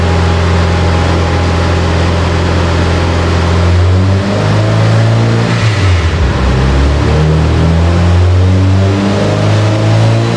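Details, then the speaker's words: Subaru Forester STI build (stock longblock, Precision 6870 rotated turbo, ID2000s) on the dyno after an OEM sensor swap restored free revving: deep, steady full-throttle pull with no stumbles, made 529 and 422, about 25.69 boost, warmer day. "so pull pole there let me extend our graph out a little bit here we had really clean pole made 529 422"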